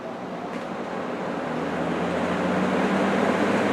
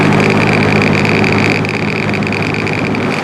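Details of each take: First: Restored old box/table fan started on high: a smooth airy rush swells as the blades come up to speed, with no ticking or scraping. It moves lots of air quietly; the grille vibrates slightly, which a felt pad on the motor would fix. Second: Old rusty box fan, unrestored, running on high: a steady hum with a buzzing rattle and wobble. There is vibration and bearing noise; the owner hopes it is mostly a thrust washer issue.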